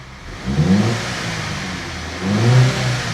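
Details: Turbocharged Audi A5 six-speed manual bought broken from auction, after repair: two clean throttle blips rising and settling back to a low idle without hesitation or rattle; engine revs freely and sounds good.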